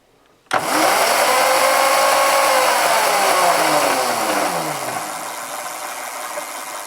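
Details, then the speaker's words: Roadside-found Razor E300 electric scooter, chain soaked overnight in oil with a couple of stiff links remaining: motor whine climbs, holds, coasts down, no clicks or grinding; chain drive running smoothly. "that's pretty smooth we soaked it last night in the oil and then there's still a couple of stiff lengths"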